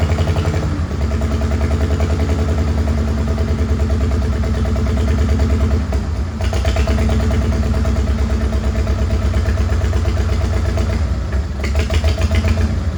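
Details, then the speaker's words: Old Farmall H tractor, freshly revived with new oil, a refilled oil-bath air cleaner and battery, has a lumpy, loping idle with occasional pops. It shows blowby and the owner suspects it isn't firing on all cylinders. "I don't think it's running on all the cylinders right now. It sounds like it's down on power."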